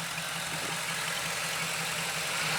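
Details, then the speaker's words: 1966 Chevy El Camino with LS V8 swap, warmed up: steady even idle with smooth low pulse, no shake, miss or bad vibration; healthy running. "You guys can hear how good it runs. I mean, there's not a a bad vibration in this"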